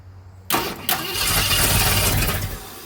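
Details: 1965 Ford Thunderbird after rebuild, points ignition at 6° with timing light showing no flash: starter spins the engine with uneven churning about two seconds, never catching; cranks but won't fire, cause unconfirmed.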